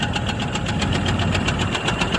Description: First video under the hood trying to diagnose this rhythmic knocking/banging that started recently. It follows engine speed.